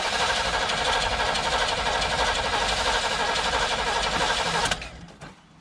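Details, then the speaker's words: Chevy Vega wagon with a 350 V8 and 4-speed, sat about 15 years in a field: fast rhythmic cranking with no catch, then the starter stops; no spark, owner suspects a weak distributor connection. "little spark again gotta be a weak connection to the discriminator yeah you like how i just made up that word it could be the highway no spark anymore"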